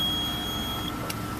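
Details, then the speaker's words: 2005 Chevrolet Venture Entervan II wheelchair van, engine running, EZ Lock power tie-down: steady high-pitched electronic beep over low vehicle hum, warning that the wheelchair is not locked down; a button silences it. "if your loved ones with you up front in their chair and you're hearing that noise that means they're not tied down at all"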